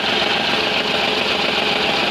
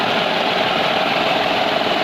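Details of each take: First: Renault Kwid petrol engine idling with check engine light on: irregular low thump about twice a second, heavy vibration and knocking from a cylinder 3 misfire caused by an injector control circuit fault. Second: Renault Kwid after repairing the cylinder 3 injector control circuit wiring to the ECM: even, steady idle with no stumbles, skips or knocks; misfire fixed, engine running smoothly.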